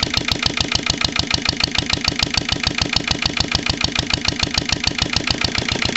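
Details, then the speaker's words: Lister LD1 single-cylinder diesel on a chilly 5–6° morning after a fuel filter change: thumps about seven beats a second, clattery, slightly irregular. Rough running; owner still suspects the injection system. "but I reckon we still got a problem with the uh the whole inject sy's not quite right"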